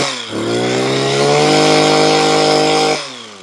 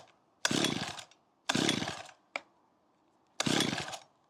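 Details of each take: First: Makita petrol hedge trimmer, about 15 years old, after replacing perished fuel lines that let air in: small two-stroke revs cleanly, holds steady high buzz without bogging or cutting out, drops back smoothly; fixed. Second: Makita petrol hedge trimmer of about 15 years that was bogging and cutting out, just fitted with new fuel lines and primed: repeated short pull-start bursts that cough but never catch; flooded from over-priming.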